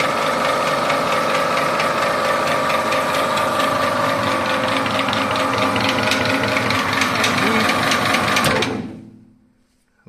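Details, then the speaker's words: MIM 300 industrial meat grinder (1440 W, 380 V, gearbox oil replaced) running unloaded: a steady mid-pitched hum with a soft, regular tick and no grinding or knocking. Quiet, normal running. "Ось вона працює ця м'ясорубка працює тихо як на сорубку МІМ 300 можна підкручувати трішки гаєчку"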